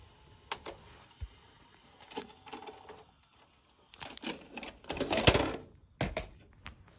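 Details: Sony SLV-D370P DVD/VCR combo: it plays movies fine, but the DVD side makes irregular clicks and short rattling whirs with quiet gaps. A mechanical disc-drive noise during playback.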